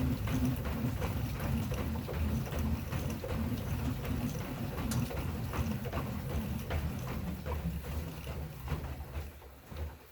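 A dull creak repeats with each stride, roughly two and a half times a second, over thumping footfalls; source of the creak unclear.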